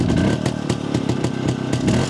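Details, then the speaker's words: Jawa 250 two-stroke after engine repair, carburetor retuned with self-drilled ~0.66 idle jet and 95 main jet: clean crackly blips from low revs, dropping promptly to idle without hanging; low-rpm throttle response much improved. "nyt vastaa niinku kaassuun tälleen pienemmiltä kierroksillä ihan eri tavalla eikä jää tyhjäkänä leijumaan niin pitkäksi aikaa niin alkaa olla ihan hyvä"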